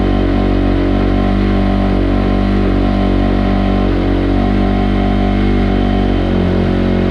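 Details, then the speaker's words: 2005 Kawasaki KX250F after rebuild with journals sanded, on choke: loud single-cylinder four-stroke idle at about four beats a second, slightly uneven; dies when choke is off, cause unclear. "but we turn the choke off and it still dies I still have to work on that"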